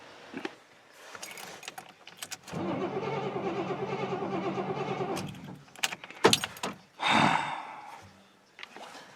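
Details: Square-body 3/4-ton 4WD Suburban V8 with a replaced ECM: the starter spins evenly for about three seconds but it never catches. The distributor signal isn't reaching the injectors.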